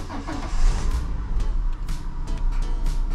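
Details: Peugeot 107 started after alternator replacement, checked for squeaking: the engine cranks and catches into a steady low run with no belt squeal or chirp. Normal engine start.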